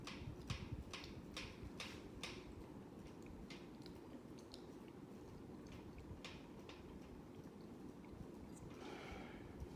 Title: Hampton bay Huntington iii (making a clicking sound)